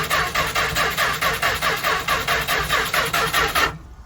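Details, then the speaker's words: 1977 Winnebago Chieftain, 440 Mopar, abandoned 20 years, bad gas, starting fluid sprayed: steady whirring crank with about five even compression beats a second; engine spins freely, not seized, but no spark suspected so it doesn't fire. "sounds like a Chrysler starter come on now there you go oh yeah that sounds like it wants to she's breaking loose"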